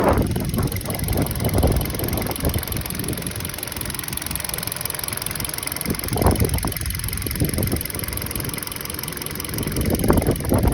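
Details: 2013 Hyundai Solaris 1.6 at idle: an uneven knocking under the engine drone comes in irregular clusters rather than a clean beat, source unclear. Engine knock at idle.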